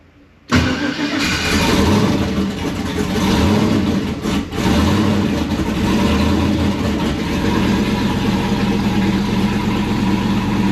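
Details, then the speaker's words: Newly built and installed Gen 4 aluminum engine, first run to circulate oil after fixing swapped conversion-harness wires that blocked the rpm signal: cranks briefly, catches cleanly, settles into a steady idle with no knocks or misses, 60 psi oil pressure; healthy start. "so i got 60 psi of oil pressure dual pressure 122 coming up stuff's coming up now let me get out sounds healthy"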